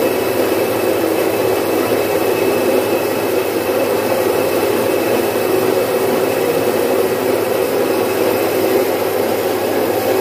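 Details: Domestic stone flour mill, single-phase 1 HP, splitting about 4.5–5 kg of moong into dal in three to four minutes. Even, unbroken grinding rush with a steady motor hum, no knocks or surging; normal running.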